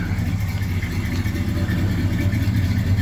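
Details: 1978 GMC truck, sitting a long time and started for the first time in a while, damp weather; the belt usually squeaks until warm but has now gone quiet, steady even low idle rumble with no squeal or chirp: normal idle.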